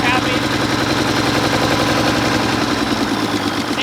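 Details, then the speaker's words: Mack truck diesel, second day of trying to start it: very rough, lumpy, uneven idle that starts to rev away; injection pump rack loosening and governor flyweights failing, so the injection pump needs rebuilding. "like the injection pump rack is actually starting to loosen itself up you see how it's starting to rev away so the rack's getting loose but the fly Waits inside there to control the governor how fast the injection pump puts fuel to the engine is starting to uh have issues"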